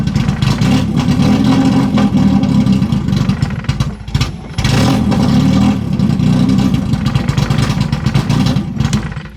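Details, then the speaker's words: 1991 BMW 318i E30, first running after years sitting: engine stumbles and surges, revs hunting up and down; rough running. It runs more stably with the MAF sensor unplugged, so a bad or dirty MAF is suspected. "That sounds absolutely terrible. Okay, so I actually unplugged the MAF sensor and it's actually running a lot more stable and better."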